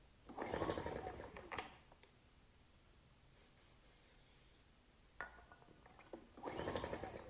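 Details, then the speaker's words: Ryobi RIG1000 inverter generator, on spray starting fluid, choke on and off: several short pull-start bursts dying straight away, never catching; good compression, sounded like it wanted to go; cranks but will not start. "i was trying all sorts of choke on choke off that's a good compression oh oh sounded like it wanted to go then"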